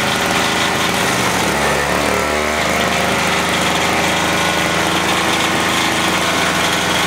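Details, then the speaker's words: MTD 2-stroke single-stage snow thrower that would not start, running after carburetor cleaning: buzzy small two-stroke holding a steady, even speed without surging, sputtering or dying; rpm sounds good; normal running. "but that fired up pretty good actually it runs all right the rpm sounds good i think it'll be all right now"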